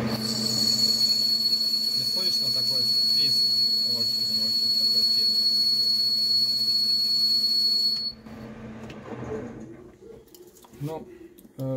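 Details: Lathe boring bar cutting without the neodymium magnet damper: a piercing steady high whistle over the spindle noise that stops when the cut stops. This is boring bar chatter, which the magnet reduces.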